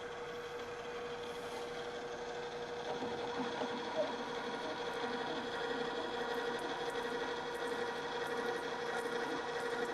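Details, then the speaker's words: Drill press on MIT machine shop after engaging the transmission to change drill speed: quiet, steady hum with constant tone and no rhythmic rattling; the speed change has eliminated the chatter and the drill runs smoothly. "and this has eliminated the chatter"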